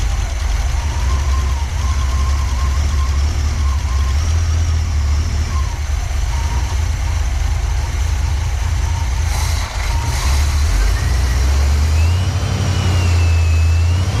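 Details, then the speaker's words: 1986 Pontiac Firebird Trans Am after fuel pump replacement and timing set to 6°, check engine light on; loud low drone rising and sagging unevenly, won't stay running; owner suspects something in the fuel tank; surging rough running. "we just can't get her to stay running so I guess that brings us to our something in the fuel tank"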